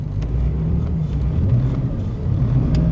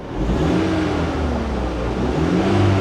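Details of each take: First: Auction minivan with flashing check engine light: low uneven idle that lopes and stumbles; engine misfiring and running badly. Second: Minivan at an auction yard, timing chain engine, quarter tank of gas, revved: climbs smoothly through a couple of quick revs and settles back evenly, no knocks, misses or rattles; normal engine revving.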